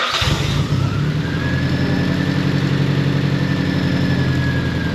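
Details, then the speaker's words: Nissan Pulsar GTI-R rebuilt engine, reinstalled, restarted after tightening a leaking fuel filter line: a slow crank, then an uneven, stumbling, misfiring rough idle; the owner suspects a mis-set TPS or a dirty ground, not confirmed. "Well, it runs. So, that's a start. Something's not right, though."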